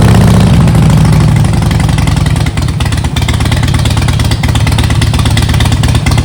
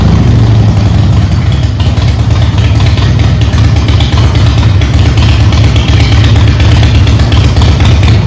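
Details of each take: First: Harley-Davidson Softail V-twin, after rebuild with new intake seals and timing checked: loud engine settles from a brief higher note into a lumpy, uneven idle; still rough running, cause not clear, wiring suspected. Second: Harley-Davidson Softail after swapping Screaming Eagle plug wires and plugs for the old wires and Champion plugs: a loud, low V-twin idle with a steady beat and no obvious misses, remarkably better. Probably an ignition problem, about 90% fixed.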